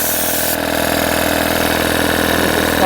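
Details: Three-phase air compressor run from single-phase 230V through a variable frequency drive, restarting below 5 bar after cutting off at about 6 bar: steady even hum and pump chatter with no knocks or squeals; it is running normally.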